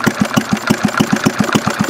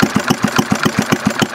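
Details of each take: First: 1951 Briggs & Stratton 6S single-cylinder engine (hit-and-miss conversion), idle being cranked down as low as possible: separate chuffs at about six a second slow and fade as it is about to stall; it then dies with the idle set too low. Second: 1951 Briggs & Stratton 6S single-cylinder engine (hit-and-miss conversion) at a very low idle: slow, even popping at about seven beats a second with clean gaps between firings; healthy, sounding like hit-and-miss.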